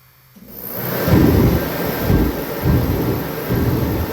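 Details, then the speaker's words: Kerosene or diesel torpedo heater, about 6 years old, used about 10 times and stored a couple of years: deep burner roar swelling and fading about every 0.8 seconds with smoke; surging from an air leak through cracked fuel hoses. "So you can see it's pulsing, surging, whatever you want to call it, and it's smoking, of course."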